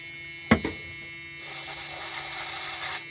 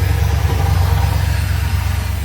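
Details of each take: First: 1984 Ford E150 Econoline camper van, fed carb cleaner through the carb while checking for spark: several long cranking bursts with brief uneven catches that never settle; cranks and sputters but won't start. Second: 1984 Ford E150 Econoline camper van V8, parked since 2019, running off a boat tank, warmed up: deep, steady burble with an even exhaust pulse, no misses or ticks; healthy warm idle.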